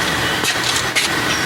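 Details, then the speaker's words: 1971 Johnson 20 hp outboard, spark plugs out, engine not running: harsh scraping rasp in uneven bursts on each recoil pull; owner suspects a previously broken, twisted-end recoil starter spring. "I think the the spring had been broken and they they fixed it used the broken spring just Twisted the end stuck it back in there I've done the same thing but listen to this is horrible that's the spring horrible"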